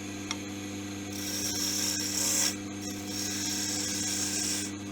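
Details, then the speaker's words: Wood lathe with sharp gouge: steady lathe hum with an even, airy hiss coming in and out as it slices cleanly without effort, leaving a shiny polished surface rather than torn-out grain; clean cutting. "I'll just demonstrate that again to show you just how sharp these tools are that just slices that off no effort whatsoever and you can see and you always get that nice sort of a hissing sound"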